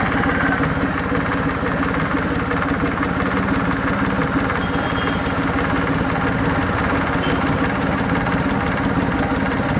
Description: Suzuki F6A EFi. Engine Ticking Noise from fuel injector.